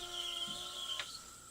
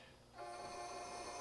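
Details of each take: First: Challenger 357 air rifle after power valve upgrade, booster pump filling to 4500 psi; loud steady high-pitched hiss for about three seconds, then clean cutoff; normal booster fill, no leaks. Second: Challenger 357 air rifle after power valve upgrade install, filling air with action uncocked; steady hiss with a faint thin tone, air escaping out the barrel.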